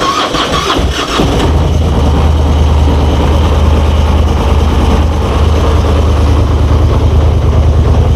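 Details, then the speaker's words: Four-wheeler (ATV) cold start at minus 20 using a Noco Genius BoostSport GB20 jump starter; about a second of labored cranking, then catches into a steady rapid idle; hard cold start. "That was actually a pretty hard cold start. I'm surprised because it's only minus 20 out."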